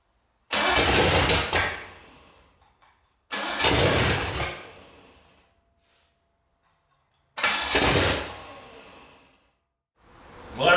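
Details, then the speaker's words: Ford 429 Thunderjet V8 for a '66 Fairlane, freshly built, started on the floor: three short bursts of cranking and catching, each dying within seconds, no steady idle; carburetor backfires with fire shooting out of it on startup. "seeing the fire shoot up out of the car operator i had to take it off and uh go through it and still have a little problem"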